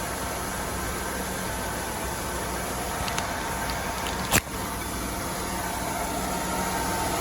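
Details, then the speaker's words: 1998 Oldsmobile Aurora V8, sat for years, after fixing the flap inside the intake manifold (not the MAP sensor) that caused rev-up and hiss on start: steady, smooth idle hum with even note, no misses or ticking; normal idle. "So it wasn't the MAP sensor. It was that little flap inside of the intake manifold."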